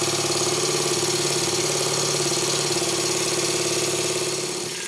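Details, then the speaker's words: Stuart 10V steam engine after partial rebuild and valve timing adjustment, running on compressed air on a resonant workbench; fast even chuffing about 3.5 per second over a loud rattly hum, easing off; runs normally. "My workbench is a soundboard, so it amplifies any mechanical noise."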